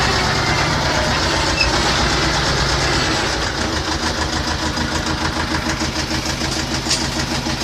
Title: Трактор т 25 после ремонта